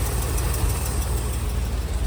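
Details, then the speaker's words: 1969 Chevy C30 one-ton oil-field rescue, carb only cleaned, good oil pressure, idling: faint quick tick over a steady low idle; owner suspects exhaust leak or valves needing adjustment. "She's sitting here idling. You hear that little made a little tick. So, might either have an exhaust leak or maybe we need some uh valve adjustment."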